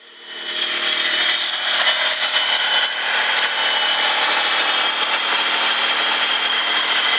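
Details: Stealth RT TT engine running: steady high-pitched whine over the engine, new since about a week ago; owner suspects a tensioner, possibly the lower alternator/AC one, unconfirmed.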